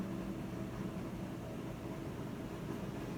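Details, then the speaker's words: Whirlpool washer that won't spin, already recalibrated, set to spin cycle: lid lock engages and only a steady drain pump hum is heard, no drum spin-up. "ya activo lo que es el seguro de la etapa está sonando lo que es la bomba"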